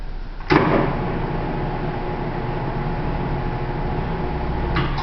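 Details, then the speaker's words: Sheeter's 208 V single-phase motor rated 6.3 A, freshly hooked up and running correctly; sharp snap of the start switch, then smooth even mid-pitched hum; normal running. "She's powered up with 208 volt single phase, and that motor is rated at 208 volt, and it's to draw 6.3 amps single phase."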